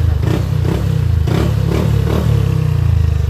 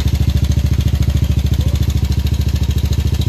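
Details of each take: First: Yamaha Aerox scooter after repair of failed timing chain tensioner (earlier wrongly repaired elsewhere): loud drone through aftermarket pipe as revs rise and fall, engine now quiet, no chain rattle; the pipe makes the noise; normal revving. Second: Yamaha Aerox scooter before repair, failed timing chain tensioner (earlier repaired wrongly elsewhere): steady idle with fast, even metallic clatter on every firing pulse, about three and a half per second; timing chain rattle.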